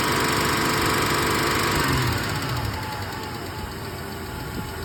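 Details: 1996 Toyota Tacoma idling: light, regular ticking about three times a second over the steady engine run; cause unknown.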